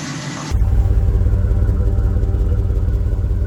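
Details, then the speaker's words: Truck with a newly fitted 250 amp alternator, exhaust heard around the Y-pipe conversion that replaces the stock pipe's 180° turn. Deep, steady, even idle rumble with no misses or ticks; only water steam from the exhaust, clean running. "so you can see nothing but water steam very very clean running truck now that sounds good"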